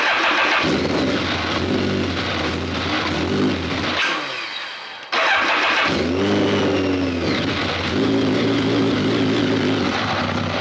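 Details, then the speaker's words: BMW K1200 R motorcycle that runs rough and cuts out, started after clearing stored fault codes: catches and revs but stumbles and sags unevenly, nearly stalling; rough-running engine, all exhaust pipes hot. "All the exhaust pipes are hot, so doesn't sound too good."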